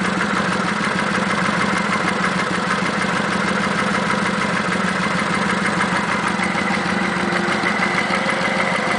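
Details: Kawasaki Vulcan 900 V-twin idles steadily with a busy, even ticking over the low rumble, present since 1,000 miles and on every VN900; normal valvetrain ticking.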